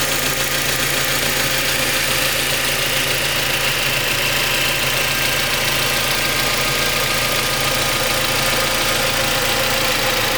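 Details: Mazda MX5 Mk3 petrol engine at idle with a fast, light metallic rattle over the hum, about three beats a second; cause unknown, owner seeking diagnosis.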